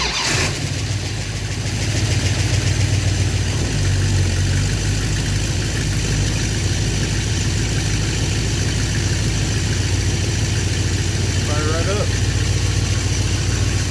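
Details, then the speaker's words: Car with a freshly rebuilt, untuned Thermoquad carburetor, only baseline mixture set, started cold without touching the gas: catches quickly, then a steady but fairly slow rumble on choke. Cold fast idle too low. "That started super easy, actually. My fast idle isn't quite as fast as I'd want it."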